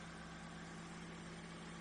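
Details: Ford Fiesta 3-door idling in neutral while the alternator charges at 14 V. Quiet, smooth idle with steady low hum and faint even whir, no ticks or knocks; engine and charging healthy.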